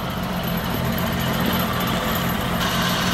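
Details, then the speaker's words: 1965 Ford Mustang I6 coupe during a classic car inspection: even engine drone with a steady low beat rising a little near the end; slight irregularity on acceleration, otherwise running well. "il ya une corolle queen un petit peu à l'accélération mais voilà qui tombe bien"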